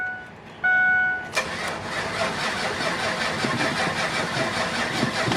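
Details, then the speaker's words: V8 truck bought at a salvage auction, first start on jumper cables after never being heard running: a chime, then it catches within a second and settles to an even, quiet idle with no knock; normal start and idle. "Come on, baby. Ooh, it runs. Oh my gosh, it's on!"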